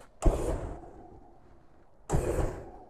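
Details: Flame robot after igniter repair, first fuel test: two sharp whooshing bursts about two seconds apart, each catching cleanly from the igniter and fading, so the flame lights reliably.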